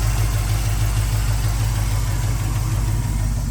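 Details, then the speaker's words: 1972 Chevrolet K10 4WD, 350 V8 with FiTech fuel injection, aluminum intake, dual exhaust, automatic. Deep, steady burble at idle, even pulses, no ticking or misses: normal idle. "Nice pickup. Sounds good."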